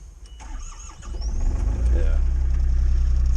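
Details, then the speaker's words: Takeuchi TB135 mini excavator diesel, unstarted for over a month, glow plugs heated, brief crank then fires right up to an even low thrum; starter needed whacking, suspected dirty inside; normal diesel start. "right up fires right up but that starter they beat the crap out of it there"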